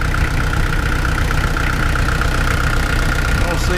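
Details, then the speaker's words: Kubota L48 diesel at idle after resealing hydraulic pump 3, letting the fluid circulate: a deep, steady, even idle with no knocks, squeals or stumbles. "Start it up at idle. Let that fluid circulate a little bit."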